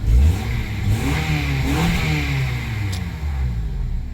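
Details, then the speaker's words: 2004 Honda Accord engine revs cleanly and settles to an even note after the failed ignition coil was replaced with a spare; no misfire. Owner says it sounds good, check engine light out, some oil burning seen. "She sound good to me. I've had to have those coils for about 10 years sitting in my toolbox."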